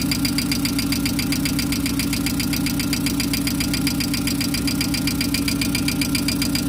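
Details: VW Gol engine at idle: a crisp, regular tick of about four beats a second from a noisy hydraulic lifter (tucho) in the valvetrain. Lifters are not charging; the camshaft is also suspected to be worn.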